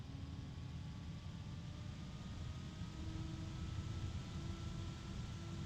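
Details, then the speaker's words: Computer case fan revved up from minimum speed: low airy rush with faint tones climbing as speed rises, already noisy and getting louder, but no harmonic resonances heard; normal fan airflow noise. "one of the nice things I can say about this fan is that it doesn't have any harmonic resonances at least I didn't hear any as I was revving it up"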